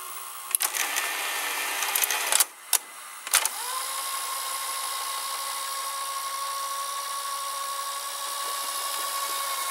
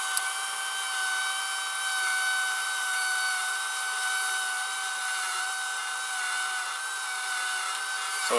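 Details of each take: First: Sears Betavision Beta VCR model 30214 after idler tire and small belt replacement: handling clicks then smooth, steady motor whine as the tape rewinds to the beginning at even speed; normal rewind. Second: Sears Betavision VCR model 30214, after idler tire and small belt replaced, top cover off: steady thin high squeal over a faint mechanical hiss during playback. Owner suspects sticky shed syndrome from a hot, humid summer; humidity is at 65%.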